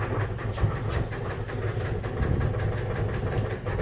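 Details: Rough V8 idle with low uneven thumping and irregular heavy deep knocks from a 350hp engine; suspected rod knock, cause unconfirmed.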